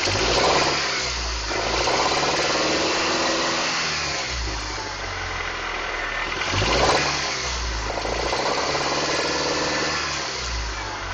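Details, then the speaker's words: 1994 Honda Accord VTEC petrol engine with 135k miles, revved three times: a rough knocking runs through the revs; cause unknown. "This is my 1994 Honda Accord VTEC. I'm going to find out what this knocking noise is."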